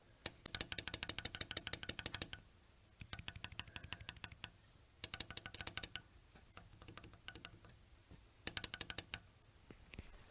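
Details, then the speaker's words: Data-100 chain printer print hammer (character 41) being tapped by hand; sharp bright metallic clicks because its Mylar cushion strip is missing, giving metal-to-metal contact, possibly causing smeared print. "so as you can hear this particular Hammer here is not hitting any myar at all it is straight up metal to metal contact"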